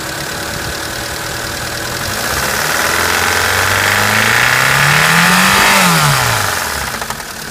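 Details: Mitsubishi Pajero Mini H56A, 4A30 engine, running poorly: metallic clanking knock from inside the engine that sharpens as revs rise; cause unconfirmed, owner suspects lash adjuster or bearing (metal).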